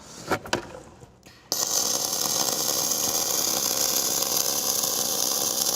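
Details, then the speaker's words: Gas-shielded flux-cored arc welding (FCAW-G) on coupons, with oil burning off the coupons. After a few clicks the arc settles into a soft, even frying hiss with no popping or spitting, showing a well-set, smooth arc. "Yeah, sounds pretty nice. So you can hear kind of that soft arc."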